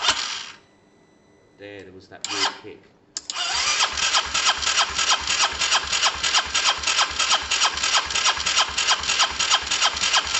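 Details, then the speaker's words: Honda SH125 scooter, fuel delivery uncertain: a few failed starter bursts, then catches to an even idle with steady ticking pulses; hard starting, owner considers brake cleaner spray, cause not pinned down. "let's see if i don't know i mean it should start every time shouldn't it so i'm going to try spraying a touch of um break break cleaner"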